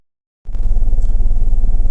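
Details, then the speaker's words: 2010 Mercedes GLK 350 (3.5 V6) with code P0017 (bank 1 exhaust cam retarded), at idle: heavy lumpy idle with a deep uneven chuff. The scanner shows live misfires on cylinders 1, 2 and 3, running on half the engine; a stuck cam timing solenoid is suspected. "Shows lots of misses on 1, 2, and 3. It's definitely only running on half of the engine."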